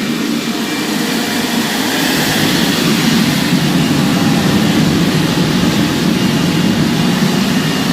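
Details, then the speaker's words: Homemade forced-air propane forge, regulator at 10 psi but thought to be running about 4: loud, steady roar from the burner and blower switched up to high, holding even with no surging, sputter or bearing noise; normal running. "She's pretty awesome. That blower makes it kind of noisy, but it gets so hot. That's on low."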